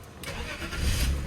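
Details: 2002 BMW donor car with 101,000 miles and front-end wreck damage: quick crank, then the engine fires and holds a smooth, steady idle without misses or rattles; it starts and runs healthy.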